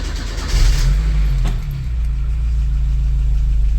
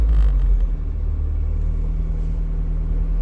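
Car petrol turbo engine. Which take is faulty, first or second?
first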